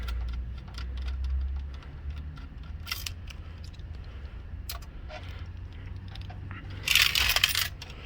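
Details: 2013 Ford Edge radio/CD unit removed after blown 20 A fuses killed radio, AC and cluster: light metallic clinking and jingling each time it is tipped, from coins kids put inside that shorted it and burned the main IC.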